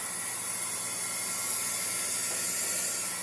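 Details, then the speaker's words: Demolition derby engine, leak-down test at top dead center, 95 psi supply, about 15% loss: steady airy hiss with engine stopped as air escapes past the piston rings into the crankcase, some past the exhaust valve. "but you're going to hear some of the uh air escaping past the Rings and coming out of the crank case"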